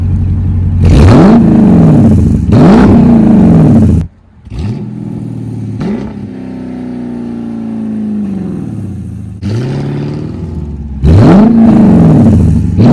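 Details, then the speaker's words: Dodge Durango RT V8 after the exhaust leaks were fixed and the tips extended out the back, now louder and sealed with no leaks. A deep rumble climbs and falls cleanly through several throttle blips with no puffing or ticking. Normal exhaust note. "I'm gonna give y'all a little exhaust note. Since everything is sealed up, there's no leaks or anything now."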